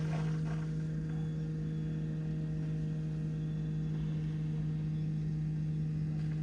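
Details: BMW F15 X5 35d diesel after fuel filter replacement, primed without scan tool: steady even low drone, no gurgle of air left; pump primed, running smoothly.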